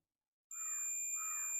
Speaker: तो जो कि आ रहा है तो मतलब इसका यह मॉस्फेट बिल्कुल सही है और अच्छी तरह से वर्क करेगा अगर हम अपने सर्किट में इस्तेमाल करेंगे